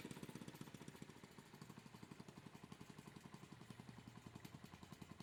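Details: Honda Monkey Z50J motorcycle engine after start, before the exhaust leak was fixed; fast, even puffing at idle, about nine a second, with a tinny buzz from a rattling protector/heat shield; exhaust leak with heat shield rattle.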